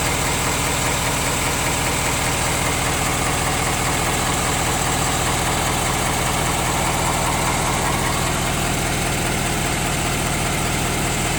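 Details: 2017 Ford F250 Power Stroke diesel, warmed up; a faint knock about two or three times a second under a busy idle, less obvious once warm. Engine knock at idle, cause unknown.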